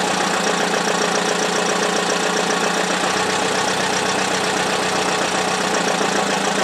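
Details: Buick (derby car) run with no oil, no serpentine belt so no coolant circulation, on a cold icy day: loud, harsh constant clatter over idle that later changed to a quieter rattle; owner suspects oil pump gave out, cause unconfirmed.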